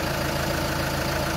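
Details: 2015 Chevy Cruze diesel idling after fuel filter change, no drips found at the seals: even diesel clatter, steady rhythm with no hunting or misses; running normally.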